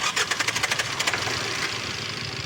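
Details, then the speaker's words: Tata Indigo ECS Dicor diesel with a starting problem, cranked with petrol added to help it start. Fast clattering crank with sharp ticking bursts that never catches cleanly. Hard start blamed on heavy injector back leakage. "ये पूरा ही back है, injector इनका पूरा ही back है, इसीलिए problem हो रहा है।"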